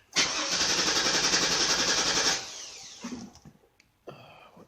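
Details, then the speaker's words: 2002 Chevy Avalanche 2500 with a bad fuel pump: catches and runs rough about two seconds, then stalls; scan data shows mass airflow dropping while injector pulse width rises, stuck in open loop. Weak fuel pump. "so the mass airflow went down and gently folks with went down it went up then injector pulse would start go up and start to stall"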